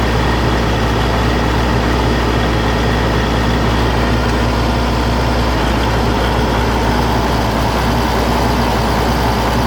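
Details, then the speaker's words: Oliver 1600 diesel tractor, hours unknown (meter broke at 1100), valves already checked: coughs, spits and surges unevenly at mid-range throttle. It is fine at idle and at PTO speed; the owner suspects the injection pump. "You can hear it just kind of all over the place. It coughs and spits, and it's just not smooth."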